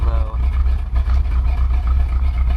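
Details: 1977 Ford Ranchero GT 351 Windsor 5.8 V8, FMX 3-speed auto, after carburetor rebuild, in gear: deep slow lumpy rumble that sags and wavers near stalling; idle speed too low, float level possibly set too low; needs idle tune.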